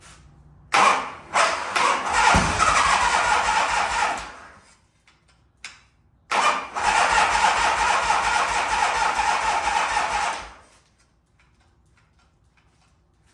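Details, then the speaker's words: 1985 Harley-Davidson FXRS Evo V-twin, sat five years, oil topped up and battery hooked up: two long bursts of steady cranking that never fire, then silence; turns over but fuel not getting through the dirty carburettor, which is then pulled apart. "all right so um clearly we're we know to turnover but it's not get through the carb so let me pull the carb off go through that"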